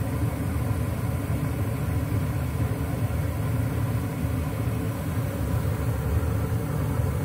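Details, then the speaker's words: American Standard/Trane gas furnace with five burners, ECM blower motor after replacing its burned-out thermistor (Ametherm SL32 1R030): blower comes on with a smooth, steady low hum and soft rushing air, no rubbing, ticking or surging; repair successful, normal operation. "so there you can hear the blower motor and the blower fan came on so that was a good fix"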